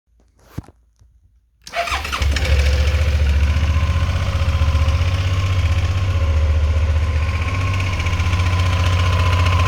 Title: weird noise Vstrom 650